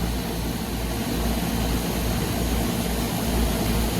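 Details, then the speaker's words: Trane package unit after a compressor replacement, with two power legs swapped to correct rotation because there was no pressure differential. Deep, even, much smoother hum with no rattle; the pressure differential appears immediately; normal running. "we got two legs of our compressor switched around so let's see how it sounds now it's a much smoother sound right off the bat"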